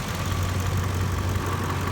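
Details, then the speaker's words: 2000 Ford Expedition during A/C test, pedal prop held about 1100–1200 rpm then fell off; engine drops back to a low idle with uneven loping swell, attributed by owner to no load. "okay we got a really loping okay it sounds like it just kicked down because my uh foot put pedal foot depressor was on so i was trying to keep this at around 1100 rpm 1200 for test"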